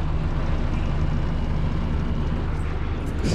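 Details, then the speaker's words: PTAC air conditioner after securing the loose cabinet with screws, cooling with pressure just started and temperatures dropping: steady even hum and airflow, no rattles, much quieter than before; normal running, unit still dirty and needing cleaning. "okay started at 75 good we have control pressure just started temperatures are coming down it's much quieter after i put in the screws"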